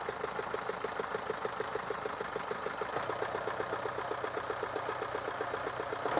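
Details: Engine idling with a steady light knock about once a second, evenly spaced over a quiet idle. Engine knocking, cause not pinned down.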